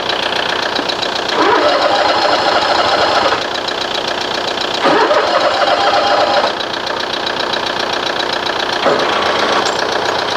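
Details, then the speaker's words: Toro TimeCutter SS 4225 mower no-start, after two squirts of starting fluid, about 40°F: repeated cranking bursts, engine turns steadily but never catches; spark plugs found wet with fuel. Flooded engine. "I pulled the spark plugs out and they were wet with uh fuel so the engine has flooded slightly"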